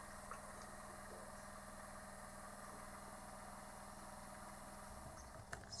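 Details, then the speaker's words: Caravan water pump, new to the owner, much quieter than the old boat pump: a faint, steady electric hum that runs on and never cuts out instead of pressurising and stopping; should be self-bleeding, cause suspected, not confirmed. "It should run until it pressurises, then it will stop. That's taking too long. No, doesn't sound good."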